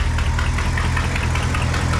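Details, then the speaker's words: 1972 International 1110 pickup, IH 345 V8 with new Holley 2-barrel carb at idle: loud raspy rumble with sharp puffing and ticking per firing pulse from glass packs and big holes throughout the exhaust. "it's got glass packs on it there's holes all throughout the exhaust it actually runs pretty darn good"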